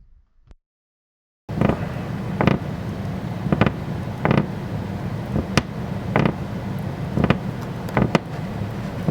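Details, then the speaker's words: Floor stepped on producing repeated sharp creaks about once a second; the OSB or plywood subfloor has separated from the framing joist, possibly from nails that missed the joist or failed subfloor adhesive. "here's the sound that we hear when we have a failure between the actual framing member and the sub flooring so these can be pretty annoying"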